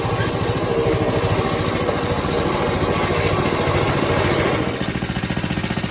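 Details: Atco Suffolk mower small single-cylinder engine, with the clutch working after the wear plate adjustment. It chugs at about 3.5 beats a second and eases off near the end, with no misfires; running normally.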